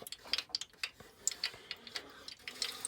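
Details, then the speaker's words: Electric radiator heater just after repair, with its corroded terminal cleaned: faint, irregular light ticks and pops as it warms, the normal sound of heat-up expansion. "all right guys did we do any good I don't know yet I hear it popping"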